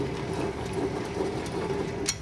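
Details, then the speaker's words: Car wheel spun by hand, on the owner's complaint of a bearing noise: a steady, gritty, rough whirring drone from the right-side wheel bearing, while the left side is silent; worn right wheel bearing. "Tengok sebelah kanan ni. Buat bunyi ni. Ni bearing sebelah kanan bunyi."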